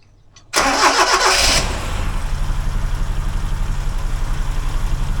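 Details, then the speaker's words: 1971 Toyota Celica TA22 barn find, after valve clearance adjustment and reseating the coil-to-distributor lead that gave no spark: brief crank, then steady even idle with regular low pulses; valve train sounds quieter after the adjustment. "I think the valve Train's actually a little bit quieter in that adjustment so guess that's a good thing"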